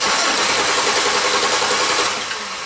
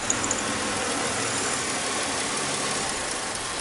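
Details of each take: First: 2005 Chevy Impala that stalls occasionally: continuous starter cranking with no firing while a missing cam sensor signal is suspected and wiring is probed; crank no start, later traced to injector and cam harness problem. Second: 2005 Chevy Impala after missing injector pulse and harness connection problem found: quiet, steady idle with even hum and no misfire, then a few light clicks; engine now starts and runs smoothly.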